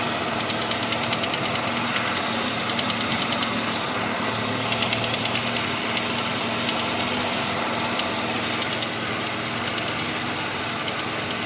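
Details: 1985 Mazda RX-7 rotary at warm idle, knock only once warmed up: irregular light knock about three per second over a busy, buzzy background; owner hopes a pulley, unsure whether it fades with revs, source unknown.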